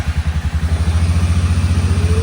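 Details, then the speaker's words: Suzuki King Quad 750 ATV with electrical issue, which wouldn't restart hot until cooled, started after fuel pump cycles; battery voltage low; quick chugging crank then steady low thump idle, starts easily. "But started up. Didn't take much of an effort at all there."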